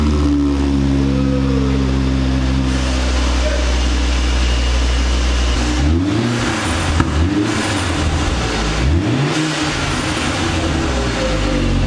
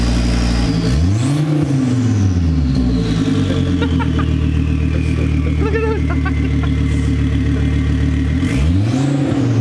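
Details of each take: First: 2004 Volvo V70 R after replacing the catless downpipe with a catted pipe: engine revs up and drops back several times with a smooth, muted exhaust note and no rasp or drone. Noticeably quieter than before. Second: 2004 Volvo V70 R with catless downpipe and no exhaust fitted, heard from the rear: loud raw roar with revs swept up and down twice and a high whistle rising and falling with boost; open downpipe turbo whine.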